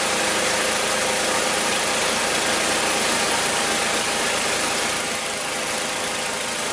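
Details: Magna air compressor, circa-1983 Briggs and Stratton engine, sat 5 years, first start on carburetor alone without carb cleaner: steady even beat, no misses or surging; runs awesome, reaches 100 psi, owner may raise to 120.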